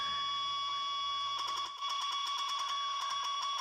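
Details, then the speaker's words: Ten Tec Paragon #1 (working transceiver), AM transistor radio by the processor: steady high tones, then fast ticking bursts as controls are worked, software changes altering RF output; normal processor switching noise, lower than non-working unit. "there's going to be some noise with the code changing when the software changes it changes the RF output in the"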